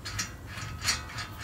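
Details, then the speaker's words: 2013 Ford Taurus rear wheel hub, off the car with the rotor removed, turned by hand: gritty, ratcheting crunch in uneven bursts from shot wheel bearings, a safety risk of overheating. Hub assembly is replaced. "And it's just absolutely no doubt that the bearings are bad."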